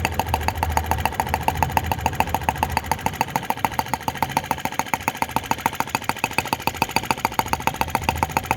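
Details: T16B Lanz-type brass half-tracked model tractor on its second start, outdoors, blowing smoke rings at scale speed: crisp, even firing beats at about three and a half per second, steady and unhurried; normal healthy slow idle.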